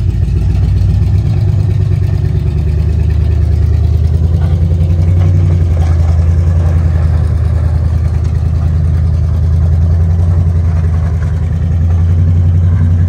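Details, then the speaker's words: Four-wheel Alvis Stalwart petrol engine, first run in over 30 years, just driven off the lorry (first gear works): deep, smooth drone rising and falling gently with throttle, no knocks or rattles; engine sounds quite nice, normal running. "this is now a runner driver and to be honest the engine actually does sound quite nice seems to run all right"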